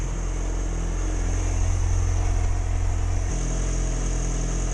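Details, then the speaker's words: 2006+ Yamaha R6 after fixing a common dying-at-idle issue (it died at stops below about 160–170°F, worse in cold weather): smooth, steady idle with an even beat, no stumbling or hunting; running clean, normal idle. "Idling pretty dang good."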